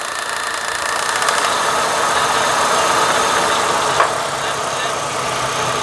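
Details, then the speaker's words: Car idling with the air conditioning on and in gear: uneven, lumpy idle shaking about four times a second, strong vibration felt in the cabin, easing slightly out of gear with loads off; one cylinder low on compression. "زي ما احنا شايفين دلوقتي في تكييف داير، لاحظ ان العربيه بتترج رجه جامده لدرجه ان العلبه دي بتمشي، شايفين في رجه جامده شايفينها في دراعي، عشان نقله شايفين الرجه دي، افصل النقله واطفي الاحمال."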